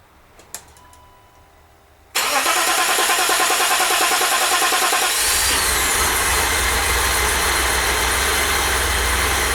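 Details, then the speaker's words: 1988 BMW E32 735iL M30 B35 inline-six, first start after engine rebuild, fuel pump primed: quiet, then quick crank and catch, settling to a smooth, even idle with no knocks or misses. "This is going to be the first start. I've primed the fuel pump a couple times by turning the key on and off. So let's see how it starts."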